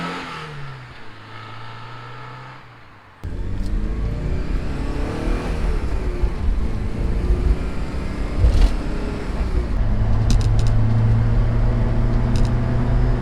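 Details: 1988 Porsche 944 on test drive after head gasket replacement and top-end reseal, compression to factory spec: engine pulls cleanly up through the revs with steady even note, no misfire or knock, feels stronger, no leaks; normal under load.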